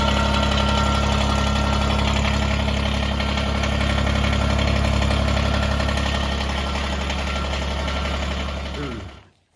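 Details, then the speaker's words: Kubota BX23S tractor diesel idling with a harsh metallic buzz from the loose front grille guard due to a weak factory latch, then shutting off; grille guard rattle. "That's a horrible rattle."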